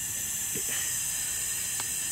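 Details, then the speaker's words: Flatbed trailer air system after new airbags and a replacement Haldex FF2 trailer brake control valve, which replaced a faulty valve with an internal leak: a steady, even hiss as the height control valve exhausts air normally. "all right folks so everything's working like it should you can hear the air coming out of the height control valve is doing what it's supposed to"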